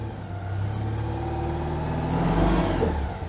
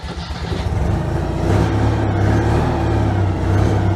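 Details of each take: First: Citroën 2CV not run for months, after slow cranking, too much choke and some flooding: the small twin catches and runs with a steady buzzy beat, revving cleanly and settling with no misses; running fine. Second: Citroën 2CV, not run for months, first start after slow cranking with easy start and too much choke: it catches and runs lumpy and uneven at low speed, surging. Some flooding was seen, and it then smoothed out.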